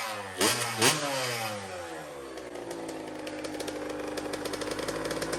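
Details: Custom Honda TRX90 with rebuilt CR85 two-stroke engine, first heat cycle after top-end rebuild: two sharp blips, then a steady crackling idle holding pitch evenly; runs clean, though the carburetor clamp is loose and needs replacing.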